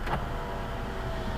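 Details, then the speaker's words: Chevy Aveo (Daewoo-built) power window: a low, labored motor hum with uneven knocks as the glass travels. The owner thinks the motor is gummed up; the other window does the same. The cause is not confirmed. "That doesn't sound good. Sounds like the motor's kind of gummed up or something. It's kind of like clunks along."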